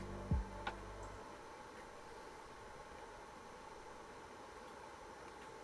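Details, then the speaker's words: Franklin Ace 2100 Apple II clone, reassembled after repair and loading software: a steady airy whirr and hiss from its loud cooling fan, which is to be replaced. "as you can hear is pretty noisy i'm going to change that fan"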